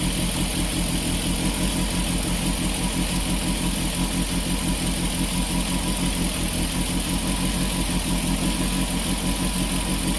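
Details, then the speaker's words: Peugeot 205 GTI after a no-start fix, cold start at a steady fast idle just under 1500 rpm, smooth drone with no misses; after a blip it settles to a correct idle within about a minute. "it needs a little bit of a blip to finalize it but that was just over a minute and it's starting to idle correctly so that was a cold start"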